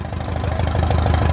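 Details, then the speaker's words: Engine in a 2006 Zodiac 601XL plane that sat 8 years, with a new battery, fired right up once fuel pressure reached 1.5; fast, even idle at 770 rpm, oil pressure 46, no misses or knocks. "Wow, once we had the fuel pressure, it fired right up."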